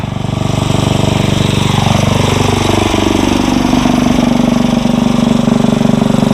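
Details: Briggs & Stratton 900 series tiller engine sped up to warm, no load: loud, even, steady exhaust beat at raised speed with no misses, knocks or rattles; normal running.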